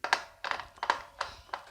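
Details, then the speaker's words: Yamaha Tenere 700 at 16,000 km, rear sprocket rocked by hand: slight movement with dull clunks about three times a second and a grindy noise, indicating a worn cush hub bearing (62/28 2RS); replaced along with rear wheel bearings. "there's just a tiny bit of movement there a bit of a bit of a clunk a bit of a grindy noise"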